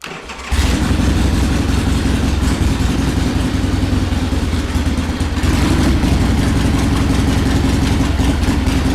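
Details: 1979 Harley-Davidson Ironhead Sportster XL1000, first run in over 25 years: it fires but runs loud and lumpy, never settling into an even idle, because the carburetor popped off the intake and is pulling air.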